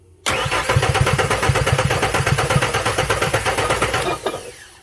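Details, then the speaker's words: Ford F-150 V8 cranking steadily with an uneven rhythmic chug for about four seconds but never firing; parts were replaced without diagnosis. Cause not confirmed. "now just listen to this thing as it cranks [Music] you hear that"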